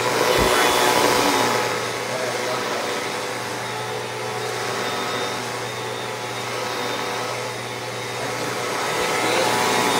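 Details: Shark Powered Lift-Away vacuum with its old faulty motor unit before warranty replacement: loud steady airy whirr with a rough, wavering edge; motor sounds bad.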